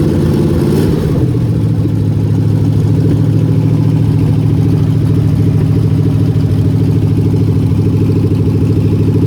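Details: Mopar 400 big-block V8 running with a steady low rumble and an uneven deep knocking through it from worn, bad crankshaft bearings.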